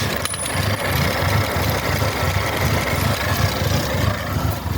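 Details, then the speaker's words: 1979 MG Midget 1500 four-cylinder after a head gasket replacement, compression in all cylinders: steady even idle beat with a low throb, no knocks or misses, better than before; healthy idle, possible water leak elsewhere. "Oh, that sounds better. Oh, she sounds better than what she used to."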